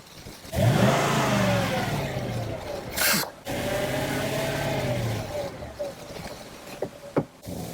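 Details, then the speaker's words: Low-mileage Mercedes CLK 55 AMG automatic lost all drive, forward and reverse; engine revs freely with a distinctive high-pitched whine from the torque converter rising and falling with revs; gearbox failure, gearbox needed rebuilding. "we were getting quite a high pitch whining noise coming from the torque converter which is a very distinctive high pitched wine so the gearbox is knacked basically"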